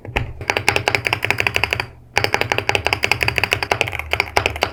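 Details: Wooting 80HE keyboard sound test: quick crisp key clacks in bursts, with a loose, tinny spacebar rattle from poor stabilizers.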